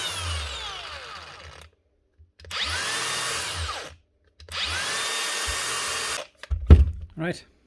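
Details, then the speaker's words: Makita DGA467 angle grinder after a new switch, given a quick clean so it gets air: three even bursts of steady motor whine, each starting cleanly and holding speed; repaired, running normally. "seems to fixed it seems to be running anyway just give him quick clean so it's actually getting air as well much better"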